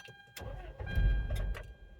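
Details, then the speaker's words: Toyota Previa with intermittent P0171 lean code after head gasket replacement, before fuel pressure regulator replacement; owner suspects air getting in or fuel getting out: starter grinds with steady churning rhythm, slow to catch, long crank; cause unconfirmed. "It seems to be losing air's getting in or fuel's getting out, and it takes a long time to start."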